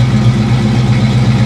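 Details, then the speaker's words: 1989 Ford Mustang LX 5.0 convertible after a fuel filter change that removed rusty fuel, fuel pressure about 38: steady, even low rumble at idle with no misses, stumbles or hunting; engine sounds healthy. "I don't know what it sounds like on the video but man that sounds good good old 5 L"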